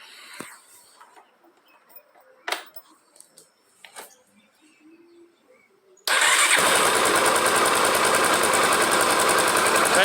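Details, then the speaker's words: Honda Twister motorcycle after fixing a strange chain-like engine noise, without removing the cover: clicks, then fires and settles into a steady, quick, even idle with no chain rattle; normal idle. "pessoal tá resolvido era coisa bem simples tá então se tiver algum barulho aí ó vamos começar sempre pelo pelo procedimento mais fácil"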